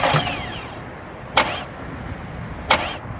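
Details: B8.5 Audi S4 before the starter burned out: three short cranking bursts about a second apart, each dying away without firing, a repeated crank-no-start that was suspected to come from low battery voltage.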